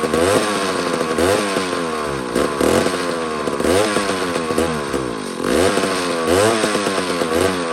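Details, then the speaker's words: Mac 142 chainsaw, long unused, after flywheel removal and points set, lightly fueled: buzzy wavering pitch surging and sagging every second or so; spark restored, owner suspects the carburetor. "That's very interesting. It's got to be carburetor. I think it is. I think it's carburetor."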